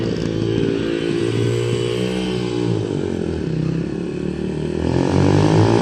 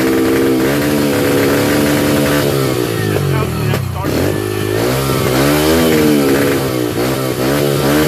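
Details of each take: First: 2005 Yamaha 125cc dirt bike after fuel valve leak repair, yard test; idle piece broken, awaiting part: crisp single-cylinder bark rising and settling cleanly with throttle, no misfires or rattles; healthy. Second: 2005 Yamaha 125cc dirt bike, just started off a 12-volt marine battery, single-cylinder note surging and sagging, never steady; unstable idle from carburetor out of tune, fixed by turning fuel screw in fully and backing out 2 full turns.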